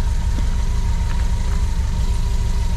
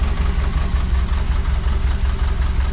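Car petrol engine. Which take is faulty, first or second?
second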